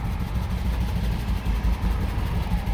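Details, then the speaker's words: 2006 Jeep Commander 4.7L V8 with misfire code P0300, no RPM signal, and an engine computer already replaced with the same result: running like a jerk, an uneven, lumpy, stumbling idle that surges and dips. "now the car running like a jerk"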